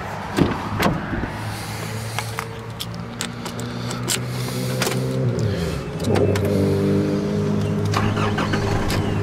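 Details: Engine after a new alternator and new belt (old belt shredding, alternator bearing squealing): starter churns, engine fires near six seconds and settles into a steady idle, no belt squeal; belt drive quiet.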